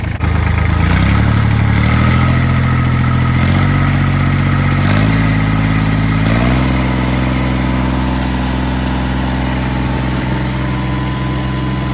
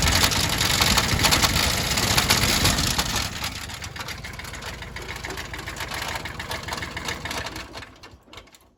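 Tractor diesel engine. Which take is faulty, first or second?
second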